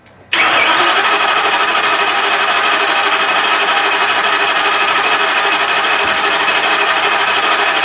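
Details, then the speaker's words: 2010 ambulance engine after leak repair, dry engine with primed oil filter and dry lifters, throttle held to floor so no fuel: starter cranks steadily without firing to build oil pressure at cranking RPM. "I'm going to hold the throttle to the floor so it won't fuel the engine we're going to crank it over till we get oil pressure"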